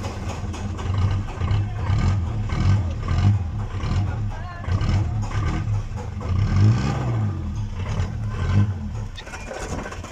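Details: Uneven, lumpy low idle with a stumbling beat from a recently overhauled engine that has low power, white smoke and a knocking sound: one cylinder is dead.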